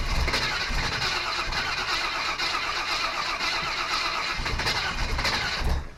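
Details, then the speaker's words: Chevy small-block 350, pulled from a '46 Chevy and going into a '55 Willys wagon, on a start attempt: steady even cranking for about six seconds that never catches. The fuel pump is not delivering fuel, which makes two failed pumps so far. "Well, I'll tell you this. That fuel pump is not pumping fuels. We got it to a certain point and stop."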